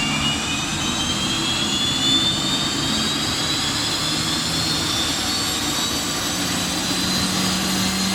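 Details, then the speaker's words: Honeywell GTCP 331-350 APU (1400 hp turboshaft, Airbus A330/A340) starting in test cell without generator: turbine roar with high whistles rising as inlet guide vanes move between about 74 and 77 degrees during spool-up, normal; reaches 41,700 rpm. "you might have heard the kind of whistling noise when it started when the inlet guidelines that they described earlier on and move between the i think a 74 and 77 degree position they uh they whistle basically it's like blowing across the top of a bottle and you can hear that whistling for miles"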